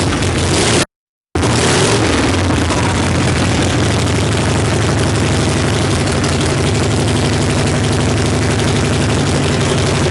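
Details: 1965 Harley-Davidson Panhead V-twin after cam, lifter, pushrod, carb and coil work, started on choke: loud, uneven loping idle with coarse raspy bark and irregular firing; rough idle, likely still needs timing and carb tuning.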